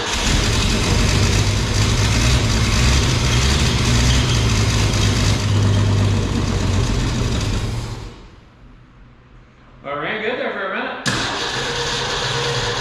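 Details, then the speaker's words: 1965 Ford F100 straight-six, sat 13 years, first start running on its own fuel pump with carburetor and choke working, oil pressure and alternator charging: a rough, loud idle with a thin high squeal. The squeal is not yet diagnosed. "it's got oil pressure the alternator is charging there's a horrible squealing noise but I'm going to look into that in a sec"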